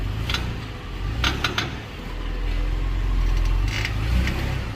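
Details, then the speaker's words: 2020–2022 Ford Explorer moving off after shifting from park to drive or reverse, after the fix: low engine and drivetrain hum, light brake squeal from galled, shiny rotors, suspension bushings loading, and no more metallic ting or pop from the rear. "all right no more ting popping going on what you hear is the brake squeal because of how gold over the rotors are"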